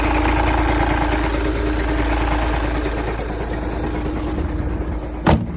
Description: Volkswagen Jetta TDI 2011 making this knocking sound,If anyone know what this sound is for kindly comment below and help me..Really appreciate that...